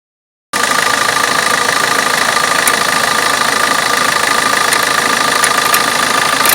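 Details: Opel Corsa D 1.3 diesel at idle: steady, fairly regular clicking about three per second above normal diesel clatter; cause unknown.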